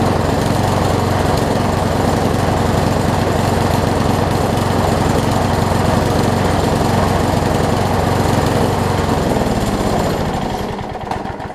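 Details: Craftsman self-propel push mower after flywheel key and carburetor repair; runs unevenly with skipped firing and some smoke; owner suspects worn rings or engine damage and plans a plug change first; engine misfire.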